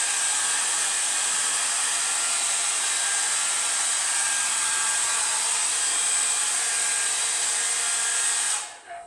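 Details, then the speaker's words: Hair dryer after repair, burnt debris scraped off the thin heating wire on its mica frame following smoking: steady high airy rush with constant fan whine until switched off, heating and blowing properly; normal running. "Yeah, no sign of any great problems now. It's heating up and blowing as it should do."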